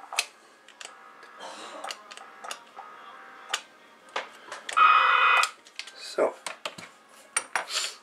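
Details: Cherokee CBS-1000 CB radio, keyed to transmit while pressing on the board: irregular crackles and pops with one harsh buzzing burst; suspected broken trace or wire connection in a board corner, not confirmed.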